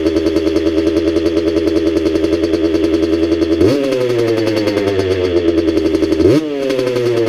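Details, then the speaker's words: Restored 1985 Kawasaki KX125 two-stroke, first start after engine rebuild with heavily oiled cylinder and rings: crisp, even idle sitting a bit fast with two quick blips; healthy, idle needs lowering, excess oil to burn off. "hey the idol needs to come down a bit but this sounds really good overall"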